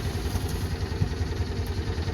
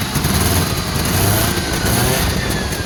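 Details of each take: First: Small car at two-stroke car shop, spring startup after storage: starter cranks steadily with no catch while fuel pump seems to struggle; cranks but won't start. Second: Two-stroke car after fuel system fix, now with a much quieter fuel pump, battery recharged, possibly on choke: lively crackly two-stroke buzz through dual pipes, rising and falling evenly with throttle, no misses; running healthy.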